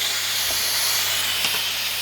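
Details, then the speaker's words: Pressure King Pro electric pressure cooker. A quick pressure release is done by pressing the release valve, covered with a tea towel. A loud steady, airy hiss with no sputter or spitting. The lid stays locked until venting stops. Normal release. "and walk away. Once it stops making all that noise, it'll let you take the lid off, but it won't let you take the lid off before."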